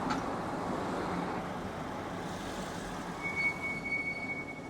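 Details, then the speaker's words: BMW X7 (delivered June 2021) driven with the window open: a thin high-pitched squeal on braking holds over wind and road noise, reportedly worse in cold weather. Brake replacement planned, cause unconfirmed. Brake squeal. "예 들리셨나요 방금 들으셨나요이 소리가이 브레이크 잡을 때 굉장히 좀 어 심하게 나는 거 같습니다 제가 느끼기에도"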